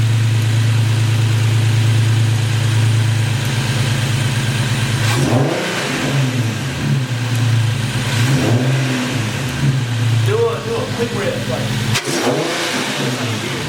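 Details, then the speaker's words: Infiniti Q60S AWD with a newly installed Takeda Stage 2 cold air intake; smooth steady idle, then several quick blips rising and falling cleanly, no misses or rattles; healthy engine. "Do it again. That bitch sounds good."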